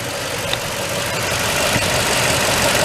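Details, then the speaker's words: 2004 Toyota Tundra, 215k miles, after power steering pump swap and banjo leak fixed with original washers; even idle, smooth hum, very slight residual noise expected to fade, no whine or groan, healthy. "very slight noise again that'll go away in a little bit good for another 215 000 miles"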